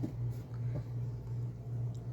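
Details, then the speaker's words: Thorens TD124 Series 2 turntable under restoration, running on a new belt before the motor mounts are installed: low, steady motor hum with no flapping or ticking; the motor is not dead quiet, but it runs normally. "I don't hear any extra noise. There's some noise from the motor. This motor is not dead quiet. It's doing very well."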